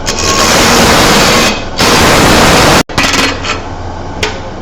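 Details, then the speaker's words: Roughing an uneven blank on a lathe with a small gouge before hollowing a vase: steady gouge hiss broken by a ragged tick-tick-tick each time a corner comes round; intermittent cut on out-of-round blank, not vibration. "I heard so you probably just heard the the tick tick tick of all the corners coming around"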